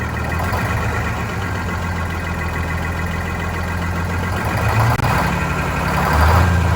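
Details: Vintage diesel bus in very cold weather, after fuel hose/line replacement, injector cleaner and fresh diesel added: heavy, uneven chugging that surges and dips, rough running; air suspected entering the fuel system from a line upstream of the new hoses.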